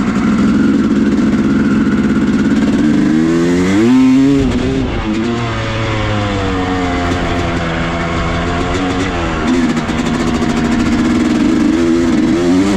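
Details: 2000 Yamaha YZ250 two-stroke on its first ride after a full rebuild with a new transmission, replacing broken 3rd and 5th gears: revs climb and fall cleanly through the gears, sharp even exhaust note, no rattles or clunks; healthy.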